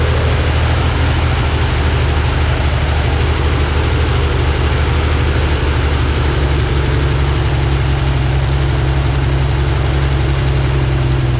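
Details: Freshly rebuilt Corvair engine run outdoors on a test stand for oil pressure and carburetor synchronization checks: loud, even low-pitched idle with a steady beat and no knocks or stumbles; runs smoothly.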